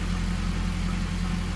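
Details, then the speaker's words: 2002 Pontiac Trans Am Formula WS6 V8 with Flowmaster exhaust, after sitting for years, first start after a fuel pump change and injector flush: smooth, even low rumble with no misses or ticking; normal idle. "That Flowmaster doesn't sound too bad. I like it to be a little bit louder, but you know, it's not bad."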